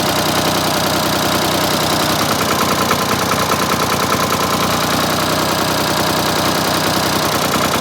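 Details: Ford 4000 3-cylinder diesel tractor after replacing the third injector that misfired: even steady clatter at idle, no missing beats or stumble; all cylinders firing, normal idle.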